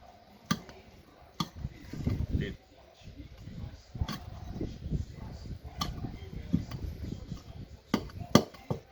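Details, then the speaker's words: Renault Kangoo front suspension rocked by hand: sharp irregular clicks over dull thumps, customer-reported clunk; worn shock absorbers and damaged bump stop, shocks need replacing or bump stops will keep failing. "É isso aí galera eu não tenho que trocar os amortecedores também porque galera o amor chegou se tiver ruim vai ficar trocando batente pelo resto da vida"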